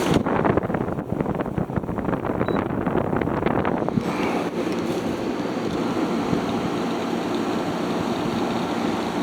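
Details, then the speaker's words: Haier ESA410J-RGB 10,000 BTU window air conditioner, evaporator-side airflow test with the fan on low at about 1,500 RPM, air already cold: a steady, even rush of air with no rattle or scrape once the handling noise stops. It is running normally. "Pushing out just about 1500 RPM."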